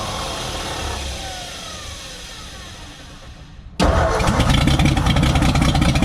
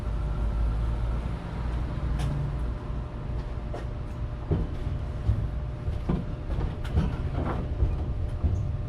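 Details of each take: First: 1957 Ford F100 being revived: cranking slows and fades, then starts again harder at about four turns a second but never catches into an idle; the choke is off. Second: 1957 Ford F100 V8 running for the first time in about 20 years, choke off: loud raw low rumble with sharp popping crackles on open headers with no exhaust fitted, running steadily and well.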